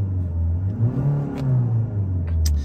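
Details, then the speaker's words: 2013 Ford Mondeo 2.0 TDCi Titanium X, 101k miles, remapped; quick rev checked with clutch in and out: diesel rumble rises smoothly and drops back cleanly, no rattle or change in noise, so no dual mass flywheel rattle. "Do it with the clutch in and with the clutch out. Listen for any changes in noise. There's no change in the noise in this car."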